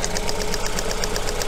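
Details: Coil-on-plug engine at idle with the number one ignition coil lifted off to simulate a secondary winding or spark plug failure: idle stumbles in a steady lumpy beat, about eight pulses a second, one dead cylinder each cycle, an ignition misfire.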